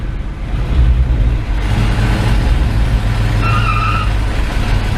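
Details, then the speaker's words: 1984 Dodge Ram D150, in first gear while brake torquing: deep, heavy engine drone that rises then bogs, sounding laboured and strained under load rather than pulling cleanly; owner suspects worn clutches in the Posi rear end, unconfirmed; engine struggling under load. "Under load, she has a hard time."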